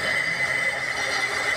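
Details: Electric water pump that wasn't spinning, after capacitor check and repair: smooth, steady high hum with no rattle or grind while suction tested by palm over the inlet; pump running properly and pulling suction.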